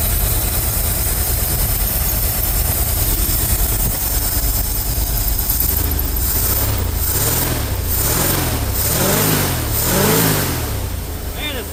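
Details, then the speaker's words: Ford F350 dump truck, carbureted, after first start with new belts: fast steady idle, then revs sag in slow waves back toward normal; idle was turned up to stop bogging, carb needs more adjustment; high idle. "Sounds healthy. Idle's a bit high. Coming back down. Yeah, that card's gonna have to be played with a little more."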